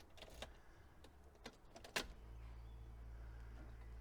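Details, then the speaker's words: Audi A2 after reinstalling original rear left door lock, which previously ticked at every ignition-on: a few handling clicks then steady low hum with no repeating click; doors lock and unlock; normal central locking operation. "and now let's go for the moment of truth if there will be any clicking here let's see okay perfect no clicking let me just do it again"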